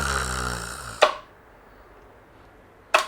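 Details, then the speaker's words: Outboard boat motor running briefly, then two sharp crackling clunks as gear is engaged too slowly: clutch trying to mesh with the gear; shift abruptly at minimal rpm. "crackling noise is caused by the clutch trying to mesh with the gear."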